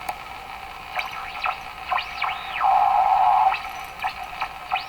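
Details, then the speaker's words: Westinghouse 535 tube radio warmed up on AM after its last capacitors were replaced, with no signal generator running. Rising and falling heterodyne beat whistles over hiss plus one steady squeal; the radio is misbehaving after the recap. "All those heterodyne tones that you're hearing, beat tones. What am I doing wrong here?"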